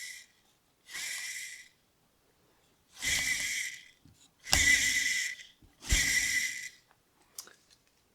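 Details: 36-year-old Bosch auxiliary fan on a Mercedes W123 300D. Short airy whirring bursts with a thin high squeal from the worn motor bearing, an open-style bearing that lets dirt in, before teardown and bearing replacement.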